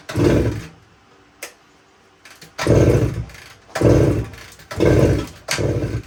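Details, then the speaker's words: 1972 Suzuki TS185, fuel valve on, key on, choke applied: each kick a short rough cranking burst about once a second, never catches; compression still very low after head gasket ring, owner suspects worn rings. "so I'm not having any luck getting this thing to run uh so I decided to run another compression test here and looks like we're still really low uh even with the head gasket ring in there now"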